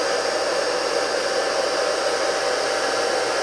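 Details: Rebuilt single-phase 2 HP (2CV) high-voltage motor running unloaded on the bench: steady, even whir with a smooth airy hiss, no knocks, rubbing or bearing growl; running cleanly.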